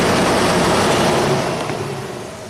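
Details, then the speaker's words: 1991 Audi Turbo wagon, second fan stage powered via test light from battery: steady fan rush fading as it spins down, no grinding or rubbing; relays, load side and thermo switch control side good, thermo switch has power. "power all right so we just proved the relays are good load side circuits are all good control side from the thermos switch is good thermos switch has power"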